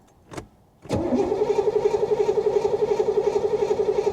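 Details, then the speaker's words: 1985 Chevy Corvette C4 swamp rescue, after fuel system work and priming with the fuel rail heard: two clicks, then the starter cranks steadily about four beats per second without catching on a weakening battery; cranks, no start. "come on little girl i can hear the fuel rail and here we go with the battery getting low again"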